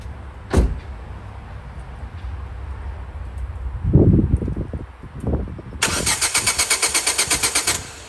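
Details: Ford Focus on battery charge cranks steadily for about two seconds but never catches. It earlier ran on sprayed easy start, pointing to a fuel problem; crank no start.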